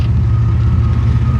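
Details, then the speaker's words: 1992 GMC Sonoma GT, 4.3 V6 CPI, after idle surge fix (new spider injector): deep steady rumble with an even, unbroken beat under light load, no surge or miss; runs well. "still running runs good man does it yeah it's great I gotta drive it yeah"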